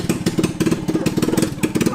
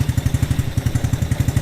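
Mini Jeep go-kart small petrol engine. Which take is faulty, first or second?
first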